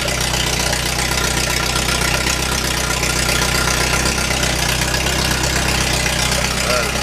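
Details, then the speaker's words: Restored Lotus just finished, started in neutral with no choke used; smooth, even petrol idle with steady beat and no misses or knocks. "Is there any kind of choke on it? Really? Just runs that nice with no nothing."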